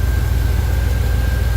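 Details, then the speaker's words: 1989 Chevy Silverado V8 idling after new fuel filter, plugs, wires, cap and rotor and reseating a loose cap wire: deep, even burble with no skips; temp gun on exhaust manifold suggests all eight cylinders firing, smooth normal idle. "running smoothly no misses I used the temp gun to check the exhaust manifold to make sure all the cylinders are putting out heat I think it's running on all eight cylinders"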